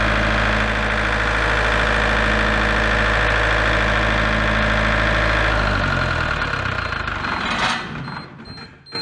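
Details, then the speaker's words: Large diesel generator set from auction, tested after turning the voltage adjustment: a steady deep diesel drone for about six seconds, then it winds down and stops with the same error. Shuts down while running. "nope still got the same error and all of the bolts adjustment in here as well so it will try turning that down and then we'll try it again and see if that makes any difference"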